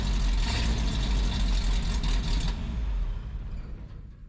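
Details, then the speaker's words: 1978 Ford F250 4x4 from a stalled project, morning start recorded near the single tailpipe: a deep, even V8 burble with a steady low rumble, no rasp or rattle, then dying away. It sounds way better and the exhaust is healthy. "Oh man, that sounds way better, doesn't it?"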